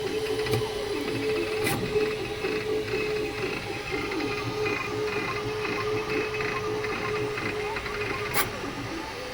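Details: Creality K2 Plus 3D printer, about a week old, on latest firmware (2025-05-01), printing slowly: steady mid-pitched hum under rapid buzzy stepping chatter and occasional clicks; owner unsure whether it is abnormal or due to slow print speed.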